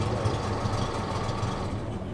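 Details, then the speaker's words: Honda 30 outboard that knocked, run with lower unit removed, no electric start, little fuel so revs high from lean mixture: steady even low rumble, knocking gone, runs fine; some clinking noted. "There is no electric start. The knocking is gone! There is no gasoline, so the revs are high."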